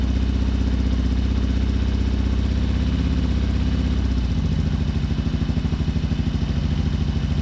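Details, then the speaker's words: 2007 Harley-Davidson Sportster 1200 at idle, heard via stethoscope on injectors: lopsided uneven chuffing with one cylinder silent; front cylinder dead because the front injector isn't working, confirmed by injector signal dropping out on the scope. "let's fire this up and definitely one cylinder only running"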